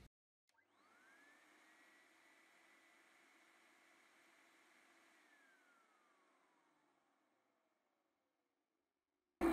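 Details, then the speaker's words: Numatic Henry vacuum cleaner with a Hi-Lo switch and soft-start PCB, which should come on in low: the motor whirs straight up to one steady high pitch with no low-speed stage, and the scope shows an unchopped sine wave; the PCB is presumed faulty. "so it's just giving us a noisy sine wave which is what we would expect but typically when these things come on they come on in the low position if this board is working and the low position did the chopped wave so obviously it's not chopping it so presumably actually the board is gone in this case"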